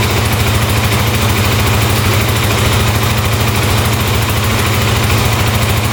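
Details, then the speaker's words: 2008 Kawasaki KFX450 quad bought sight unseen, at idle: steady, even low single-cylinder thump, no knocking, smoke or leaks, responsive throttle; normal idle. "all right that sounds really good wow no knocking no smoking wow very responsive wow sounds great"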